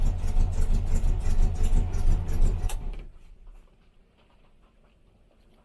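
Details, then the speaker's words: 1968 Morris Minor 1000, first start of 2023 after sitting, in cold weather on choke: uneven lumpy beat that dies away, misfiring; plug leads and plugs checked. "we are having a misfire I'm just gonna check the"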